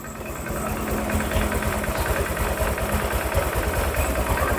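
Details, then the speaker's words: Honda Vario 150 after engine rebuild for overheating, coolant loss, rough noise and oil loss: idling minutes after refilling coolant to bleed and check for leaks. Quick even single-cylinder putter, faint background tick, no knock; normal idle. "kita hidupkan ya tunggu beberapa menit ya kan air sampai turun ya kan sambil dicek dia mendidih atau apa nyembur enggak gitu"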